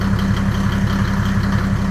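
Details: Land Rover 110 diesel first start after fitting custom radiator and intercooler, good oil pressure immediately: steady, even diesel clatter at settled idle, regular low beat, no knocks or misses. Normal idle.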